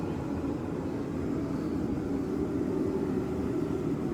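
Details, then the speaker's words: Sunfire heater relit after restart, as it will operate on a thermostat: smooth, even low roar from burner and blower with no pulsing or misfire; running healthy. "Now the blower fan came on. You'll hear the igniter going. There it is. So that's how it's going to operate on a thermostat."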